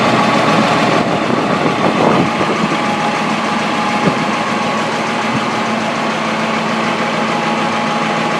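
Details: M35A2 deuce-and-a-half truck diesel at steady idle with a faint, uneven knock riding under it; cause unknown, not confirmed; engine knocking noise.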